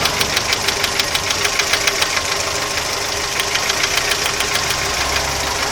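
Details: Audi 80 engine: a steady fast ticking knock, about three per second, over the running engine without letting up; an internal engine knock, cause unconfirmed.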